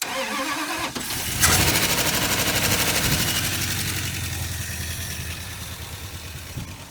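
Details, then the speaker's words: 1980 Dodge Power Wagon, parked 20 years, started on a freshly charged battery with fuel added; quick crank, catches and settles to an even idle with no lifter tap, no exhaust leaks, no smoke; normal start and idle. "Listen, do you hear any lifter tap? No, sir, not at all. Number 2, do you hear any exhaust leaks? No, sir."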